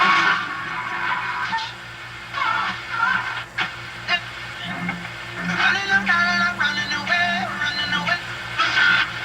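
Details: RCA 2-XF-91 radio on FM after fixing the chassis/frame ground connection: clean music plays steadily with no crackle or hiss bursts; normal FM reception.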